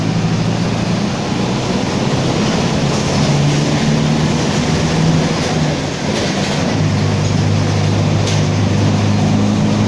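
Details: Torino 2007 city bus on OF-1722M chassis, route 314, recorded 19/11/2018: a steady, low droning growl under the road rumble holds evenly while cruising. Worn, growling rear differential.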